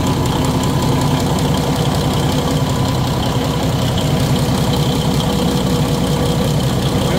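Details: Cummins Big Cam NT855/N14 diesel after full overhead rebuild with rocker install and valve and injector adjustment (intake 0.011, exhaust 0.023), first start without turbo hooked up, oil pressure up: steady, even idle with smooth low rumble, no knocks or misses; normal idle.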